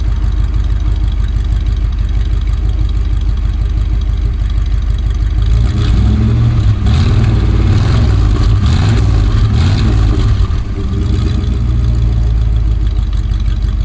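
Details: 1965 Dodge A100 van, 318 V8 sat for years, now on fresh fuel, smoking a bit: low, steady idle burble picking up slightly mid-clip and settling back evenly; normal idle.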